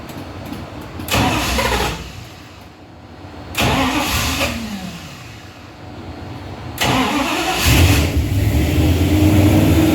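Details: Truck with a 360 Mopar LA V8 and a Holley double-pumper carb, idle turned up, vacuum gauge attached: catches, rumbles and dies twice, then keeps running on the third start; won't idle below about 1,500 rpm. Vacuum leak or carb suspected, unconfirmed.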